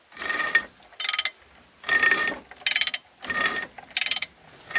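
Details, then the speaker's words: 1979 Dodge D300 one-ton truck, sat in woods 20+ years, engine being turned by hand with a ratchet after freeing a hard spot: harsh scrape each pull from the unbolted water pump rubbing its pulley, alternating with ratchet clicks. "that scraping you here is the water pump up here I unbolted it cuz it was in my way so it's just scraping on the pulley water pump"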